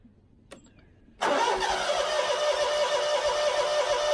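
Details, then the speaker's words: Scag mower with Kawasaki FX691V after carburetor replacement, just refueled after running dry: starter whirs, engine catches with ragged uneven beat about three seconds, then dies. "was a hit. Let's try it with choke off."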